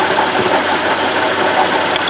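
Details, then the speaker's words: Buick Lucerne (worked on as a LaCrosse) at idle: steady hissy rushing with a faint rough grind and no clear knock, all coming from the water pump, whose bearing is wearing out; pulleys, alternator and idler sound normal. Owner reports it deafeningly loud. "all this sound is coming out of this water pump"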